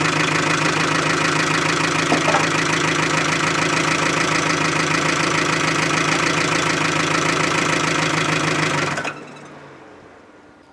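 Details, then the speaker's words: Smashed-up Chevy Aveo run with oil drained, revving around 2,000 rpm: hard regular knocking about four times a second over a rough idle, then sudden stall; bearings starved of oil. "oh god that sounds horrible guys get your guesses in now because i don't think this thing's gonna last very long oh my goodness those sounds are just horrible coming out of this thing"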